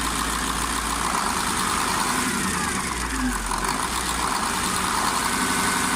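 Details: KamAZ 740.13 diesel after repair of cylinder 8 knock from scored liner, new FM 740.30 pistons fitted, during break-in: steady, even idle clatter with no knock cutting through; healthy.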